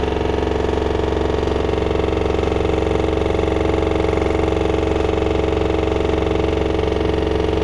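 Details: LG washer-dryer combo bought November 2021 pounds like a jackhammer at 1400 rpm spin: heavy, even thumping about twice a second over a steady roar; machine level, not moving, nothing external touching, no drum bearing play; cause not found.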